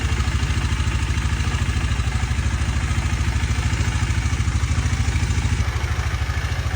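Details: 2018 KTM Duke 250, first cold start after sitting a year with its dead battery recharged on a smart charger: catches and settles into an even, steady idle, no misfire; normal cold start idle.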